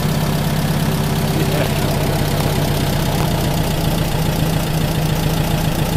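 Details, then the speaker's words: VW Type 1 air-cooled flat-four 40hp engine after complete rebuild (some components replaced): revs then comes back to a nice smooth idle, steady even chug with no knocks or misses, hardly making any heat; normal rev and return to idle. "yeah it sounds good man yeah it does sounds happy now it's coming back to idle real nice idle and smooth"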